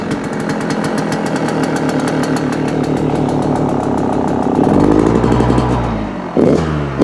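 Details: Yamaha YZ125 two-stroke just after new crank main seals, still on choke: crisp quick crackle with revs climbing evenly, no knocks or rattles; runs clean, sounds much better than before.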